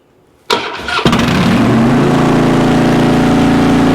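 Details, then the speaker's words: 2006 Harley Dyna Wide Glide that misses on throttle: brief starter whir, then it catches and runs steadily with the throttle held slightly open; owner suspects a gummed-up idle air control valve. "It starts missing as soon as I get on throttle. However, if I hold the throttle open just a hair, then turn it on."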